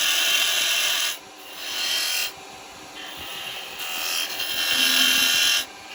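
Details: Record Power 1/4" spindle gouge cutting wood on a lathe after being shortened and reground: bursts of soft, even hiss with quiet gaps between passes, no screech or chatter; a clean cut.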